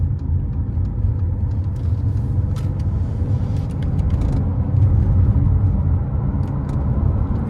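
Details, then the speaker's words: 2015 Mercedes GLA 200d AMG Line diesel, rebuilt after crash damage, road test accelerating through gears, rear seats out so extra cabin noise: low even diesel drone over road rumble, smooth gear changes, no knocks or surging. Normal. "changes gear, lovely, very, very smooth car. You don't really expect anything less with Mercedes, do you?"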